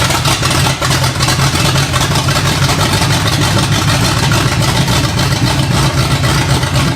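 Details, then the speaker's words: Barn-find Pontiac GTO Judge V8 (1968/1969), odometer 187,000, first run on new plugs and wires: rough idle with a quick, even tick keeping pace with the revs on one side. Wiped cam lobe suspected, not confirmed. Valvetrain tick. "Bit of lifter tick on this side. Weird. Pontiacs are pretty well known for wiping cam loes. So, we probably have a wiped cam lo."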